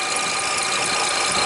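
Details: Toyota Highlander (2007 or 2003), idling at 13.1 volts with 40-42 amps of alternator output, battery expected to charge at about 16 amps. A thin, steady high-pitched squeal: failing alternator with an internal diode fault.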